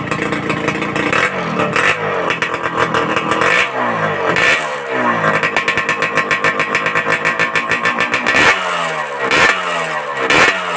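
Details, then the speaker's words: Satria Hiu 2-stroke motorcycle with a local aftermarket exhaust, before glasswool packing: sharp crackling revs with a thin, tinny can-like metallic rattle; muffler lacks packing. "Menurut pendengaran saya ini suaranya kurang gemercing ya, agak cempreng sedikit, bukan sedikit ya, agak banyak cempreng kayak suara kaleng-kaleng."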